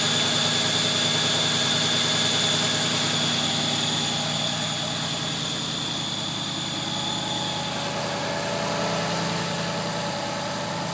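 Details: New 2014 Ford Mustang GT V8 cold start: thin high belt squeal over the cold idle, fading after several seconds as it warms; belt slipping when cold.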